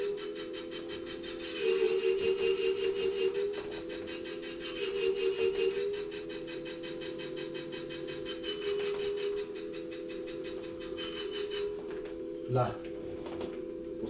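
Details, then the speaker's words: Dualtron Mini electric scooter after a rear solid-tyre change, throttle eased on during brake adjustment: a steady motor whine with a rhythmic rubbing swish about twice a second; the brake drags until the adjusting screw is backed off in half turns. "L'astuce c'est on met 2-3 tours dans la vis, on accélère doucement et on va entendre le frein freiner. Du coup on fait des demi-tours pour dévisser jusqu'à qu'on n'ait plus le bruit du frein."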